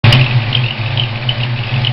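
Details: Ford 302 V8 at idle: thin high chirp about twice a second from cylinder 1 valvetrain; it stops with both rockers removed and returns with the exhaust rocker installed; owner suspects a bad roller, not confirmed.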